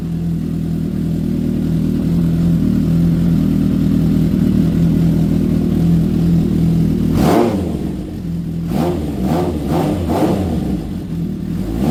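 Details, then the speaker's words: Honda CB750 cafe racer running after carb rebuild and tuning and new spark units, not yet warmed up. A smooth, steady four-cylinder hum, then crisp throttle blips that rise and fall cleanly. It runs evenly and sounds healthy. "Well, she's back. She runs. You heard it first. And just a bit of tidying up to do, honestly."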